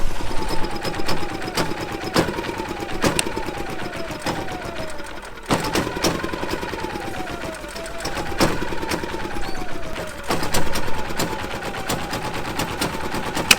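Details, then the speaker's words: Champion inverter RV generator started on jumper cables with choke after failing to start. It runs rough with a lumpy, uneven beat near once a second over busy clatter and a wavering tone, blowing lots of gas; suspected over-choked. "here we go sounds like well it sounds like a four-wheeler whoa we got blowing lots of gas out I think we're over choked"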